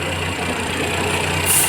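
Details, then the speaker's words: Geely Azkarra 1.5L with white smoke: rough, uneven idle with a low hum and slight stumble; scanner shows cylinder 1 and random misfire, caused by the spark plugs fitted, fixed with NGK replacements. "Misspiring o detected cylinder one random per detected so meron problema ito guys so kaya pala nagan kwento ito guys nagkakaroon ng mispiring"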